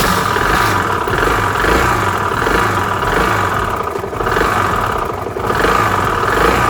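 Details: Restored Piaggio Vespa 50 LX two-stroke scooter, after carburetor adjustment and vacuum fuel-line refit: buzzes steadily, rising and falling smoothly with short throttle blips, no misfire; normal running.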